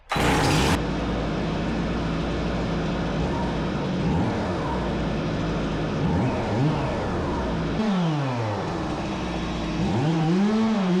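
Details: Stihl MS 270C chainsaw that bogged down and shut off only when warm, after fix, on 50:1 ethanol-free premium fuel, engine hot, cutting 15-16 pieces: high steady buzz dipping and recovering cleanly without bogging; normal running under load.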